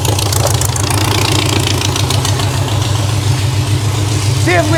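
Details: VW dune buggy engine after engine and clutch removal and reinstall: catches and settles into a steady, even low idle with no knocks or misses. Normal healthy start and idle.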